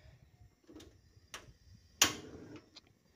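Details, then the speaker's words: LPG 3 kg gas stove running without its valve seal, using an improvised substitute to stop leaks from worn or loose rubber: a few sharp igniter ticks then a soft whoosh as burner lights, no hiss or hum; normal ignition. "Nih, sudah nyala dan sama sekali enggak ada mendesis atau mendengung. Sahabatku nih dengarkan coba. Enggak ada mendengung, kompor pun bisa menyala."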